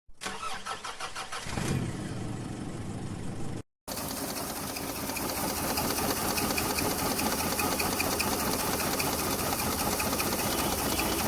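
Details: Maruti 800 with AC, small petrol engine: cranks, catches, then runs with an uneven, stumbling beat typical of a misfire.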